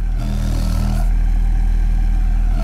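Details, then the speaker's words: Alesis M1 Active MK2 left loudspeaker after repair: steady deep low hum with only port air moving, no rattle or hissing air leak from the back of the cabinet; normal low-frequency playback. "I'm not hearing the other the other air coming out of the back so I fixed it yay"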